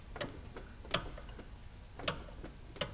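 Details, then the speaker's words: BMW E46 325xi wagon, roughly 200,000 miles: the opposite wheel is turned by hand and sharp irregular clicks come from the CV axle, about four in three seconds. The inner joint is worn and about to fail, so the axle needs replacing. "and then something is definitely wrong with this cv axle here watch what happens when i turn the other wheel"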